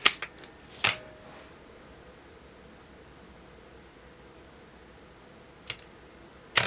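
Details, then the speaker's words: Olympus OM10 35mm SLR with 50mm f/1.8 lens: two crisp even shutter snaps about three-quarters of a second apart, repeated, at a slow speed; electronics controlling shutter speed correctly. "so that's showing us that the electronics are controlling the uh the shutter speed as they should"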